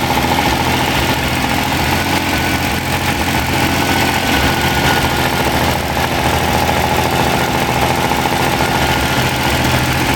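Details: Freshly rebuilt Ferrari Dino 246 GT engine, fully restored and run on a small test stand before final installation, with oil pressure, water temperature and exhaust being checked: steady, even idle, smooth busy mechanical hum, no knocks or misses; normal idle.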